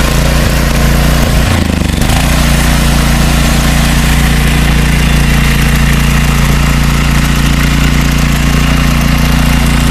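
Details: Used Troy-Bilt 5550-watt generator on first pull-start after repairs: a short stumble, then a steady, even drone at constant speed with no misses or knocks, running smoothly.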